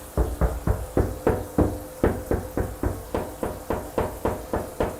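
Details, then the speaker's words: Shower wall tile tapped during a home inspection: sharp taps about three a second, some ringing hollow rather than solid; tile coming loose behind deteriorated, missing grout. "can hear that sounds different than here so that title is actually coming loose so there's gonna be known about Lu style and deteriorated missing grout in their report because that's only gonna get worse"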